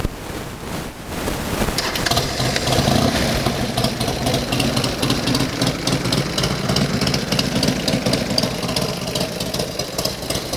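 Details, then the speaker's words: Buell X1 Lightning V-twin with OEM race ECU, race exhaust, Force Winder intake and air filter, and a new battery. It catches after a short crank and settles into a lumpy, even idle with a loud exhaust bark. It runs clean and steady. "It's not too bad. I mean, it's got the race ECU, race exhaust."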